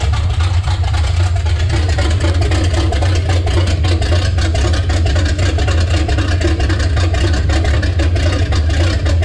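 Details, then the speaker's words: Chevy C10 with a revived 350 V8 replacing the 327, first run in 6 years: deep even V8 burble with no knocks or misses, running well, though the owner is unhappy with an oil problem near the valve cover. "I think sounds great runs awesome"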